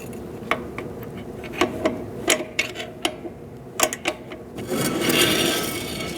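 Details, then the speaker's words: 2004-2012 Chevrolet Colorado rear drum brake after wheel cylinder replacement, adjusting shoes, wheel turned by hand: irregular scrapes and rubs from the rusty drum as shoes drag lightly; brake shoe drag during adjustment. "There's a little bit of drag there. Going to go a tiny bit more. But this car, you can actually hear it cuz it's pretty rusty."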